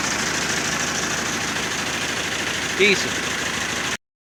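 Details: 1951 Ford 8N tractor four-cylinder, bought as scrap, idling after first start with choke, following carburettor and distributor cleaning, distributor-cap lead and ground repair, compression near 125 psi: steady even idle with quick light beat, no misses or knocks; runs smoothly.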